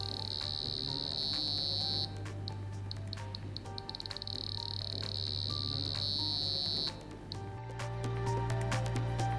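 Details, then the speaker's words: Premio 32 EVO photobiomodulation laser emission check with the laser key on the test plug: continuous rapid clicking with a steady beep that changes in steps with the frequencies; the laser is emitting correctly and the device is usable. "apply the laser beam to the laser test cell the beep ch changes according to the frequencies and thus indicates that your device can be"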